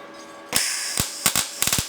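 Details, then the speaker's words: YesWelder MIG 205 DS on 220 V, test bead starting at a feed rate of 65: sharp irregular pops and crackles instead of a steady frying sizzle; it needs more wire, and it was finally dialed in around 150–160. "hear that? It needs more wire."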